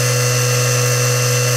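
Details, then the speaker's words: SBL-40 inverter from a Nanchang CJ6A plane (24 VDC motor driving a 3-phase 36 VAC 400 Hz generator), repaired, on a 24 V bench supply drawing about 3.5 A: siren-like wind-up, then steady high buzzing whine; running normally. "you know he heard his baby wind up sounds like a hairy siren at first and then winds up past there and really buzzes along"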